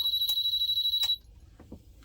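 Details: 1988 Amstrad PCW 8256 on a dim-bulb current limiter: steady high beep for about a second then faint drive clicks as the drive stutters; error beep, owner suspects failing capacitors and a needed full recap.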